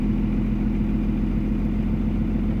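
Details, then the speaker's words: Second-gen Cummins with a VP44 pump. Fuel pressure was lowered from 21 psi toward 14–20, grid heater secured, grounds and terminals tight, batteries two years old. Cold start still gives a rough, lumpy idle with heavy smoke; owner suspects the VP44. "So it still started rough, guys, which sucks. You can probably see all that smoke."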